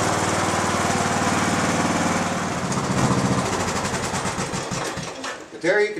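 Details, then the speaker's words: Mower cranking on the same restored lead-acid battery, charged as far as it will take, still with one bad cell; previously would not crank at all. Steady even churning about two to three turns a second for five seconds, then a brief roar. Normal cranking. "A battery that would not crank this mower under any circumstances. You could charge it all day long and it would not crank the mower over at all. Now it cranks it, even with the one bad cell."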